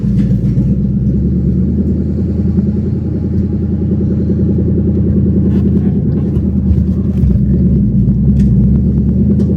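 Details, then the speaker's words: Drift Mustang first start after refitting a used OEM H-pipe to cure a check engine light: loud open-pipe idle with an uneven, stumbling, bubbling beat; rough idle, suspected misfire, cause unconfirmed. "It sounds like it's blowing bubbles. That sounds absolutely atrocious."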